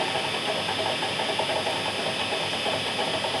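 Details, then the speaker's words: Nichols mill geared-head motor after fresh oil in the gearbox: steady, even gear whir with a light hiss. The clicking heard before the oil change seems gone; gearbox running smoothly. "Let's see how that sounds now that we've got some fresh oil in there now. I'm hearing the gears,"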